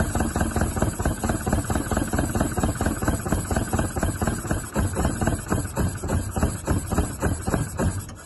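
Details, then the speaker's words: Isuzu Bellett GT-R with air filters off and the throttle stop screw not working; lumpy idle pulsing about 3.5 times a second, fading and stalling at the end. Owner suspects poor carburettor jets, plans to strip the carbs. "yeah I reckon it's probably normally uh well Jet's not being very good have to strip the carbs"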